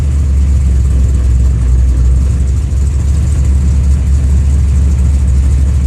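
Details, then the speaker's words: Engine with a newly installed FAST fuel injection system that floods once warm, ECU and harness moved outside the car to rule out electrical noise: after revving it runs very rich, idle wavers, sags and surges near stalling before O2 correction settles. "I'll do it again see it got really fat then you you heard a car surge it'll crack itself once it settles down"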